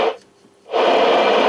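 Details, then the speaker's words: Standard C-55D ham radio after no-receive/no-audio repair and wire-patching modification, no antenna signal connected, checking 2 m, 70 cm and 10 m bands; steady static hiss through speaker, receiver audio working normally. "uh it is no signal connected but we should hear our static"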